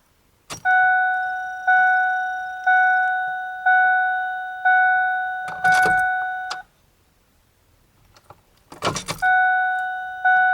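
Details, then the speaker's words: 1997–2004 Ford F150 after fuel filter change, fuel pump fuse reinstalled, key cycled to on without starting to re-prime; door chime pulses, then brief normal fuel pump priming hum. "when you do that you should hear the fuel pump come on for a few seconds turn it off do it again a few more times"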